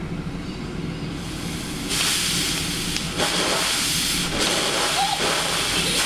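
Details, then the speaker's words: Steam feed pump on a new vertical test boiler, about 45 minutes after firing, safety valve set: rapid, fairly even hissing chuffs about four a second with steady strokes; lines seem a little restricted but it pumps well, raising water 2 inches in about a minute. "I think that the lines are a little bit restricted, but it does pump good."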